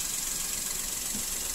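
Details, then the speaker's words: Daihatsu Ayla 1000cc: a high whine from the oil pump low in the engine grows rough as the oil light flickers. It's worse in the morning and fades when hot. Oil was freshly changed and full, but sludge had clogged the oil pickup strainer; the scored pump rotor was replaced. "Begitu oli kedip-kedip, suara tambah kasar, kerecek ya. Nah, ini lagi kita analisa dulu. Nah, untuk penanganan kalau dianalisa itu seperti pompa oli ya, suaranya di bawah sana."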